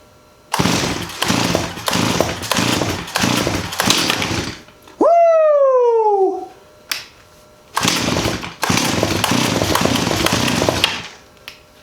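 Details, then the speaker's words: 1985 Stihl 028 AV Super Electronic Quickstop chainsaw, sitting for 10–15 years, with a bent part temporarily straightened: short bursts catch and die between pulls; hard starting, won't keep running, owner suspects flooding. "choke back on chain break on maybe it's flooded i don't know"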